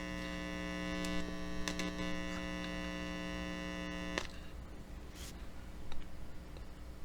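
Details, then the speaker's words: Amplifier through speaker, film capacitor reconnected with outside foil on the correct side (capacitor's marking proved inaccurate): steady, fairly quiet, even mains buzz, then cuts away; hum much reduced. "see the humming noise is much less. So let's mark this side. Alright, one more capacitor. You can actually hear when the humming reduces."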